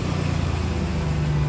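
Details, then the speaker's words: 2008 Jeep Liberty right after the muffler was replaced, mic under the vehicle at the exhaust. Low, even idle with a smooth, steady exhaust note and no rasp or blowing. It sounds quiet and sealed, like its old self. "Sounds like her old self again. I like it."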